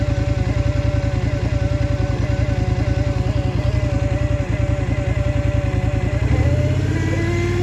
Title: Scrambler xp1000 S weird noise 1